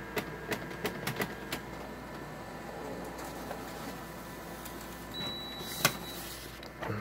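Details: Canon MF733Cdw printer with Canon starter cartridges clicking while printing: sharp irregular clicks over the feed whirr, then quieter feeding; pages come out skipping lines when it clicks.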